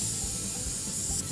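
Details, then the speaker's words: Air hissing from a puncture near the tread center of a 2004 Jeep tire, inflated with a compressor so the hole is found by its sound before plugging; steady high hiss under handling noise. "I don't know if you can hear that, but the hole was easily identified by that sound."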